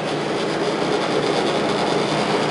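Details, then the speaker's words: New Kenmore 800 gas dryer just installed with gas hooked up, running very quiet; steady even whoosh and rumble from drum and blower, no knocks, squeals or scraping, normal running. "Everything's all lit up and it's running very quiet."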